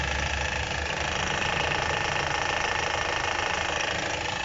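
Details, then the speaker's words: Chevrolet Captiva 2010 2.4 at idle, phone held at the front of the engine: quick light metallic rattle over the engine note from the timing chains; full timing kit with chains, tensioners and guides to be replaced. "ruido en el motor captiva 2010 motor 2.4 reemplazo de tiempo de ruido se escucha en esta parte"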